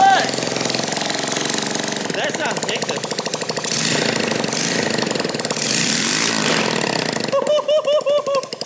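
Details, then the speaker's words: New 125cc four-stroke motor in converted kids quad drift kart, first start with no exhaust fitted: loud raw crackly bark revving and dropping cleanly, overrun pops and flames; healthy, torquier than the old 50cc 2-stroke. "That is absolutely mental. You can kind of hear the torque in the motor compared to the 2-stroke. The 2-stroke was tinny as hell. This guy's keen to go."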